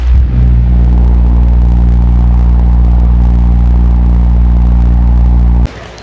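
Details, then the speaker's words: Sekai HFN 1210 industrial fan on speed 2, mic near fan: steady low hum with even airflow roar, constant pitch, no rubbing or ticking; normal running. "Nah, biasanya kita menggunakan kipas speed nomor 1, tapi kalau lagi agak gerah banget kita speed nomor 2. Ini dia suaranya."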